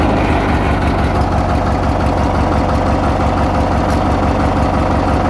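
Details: 1991 Murray riding mower (project machine, usually starts without choke) at idle: steady, even small-engine putter at about three beats per second with no misses, knocks or surging; a healthy, settled idle.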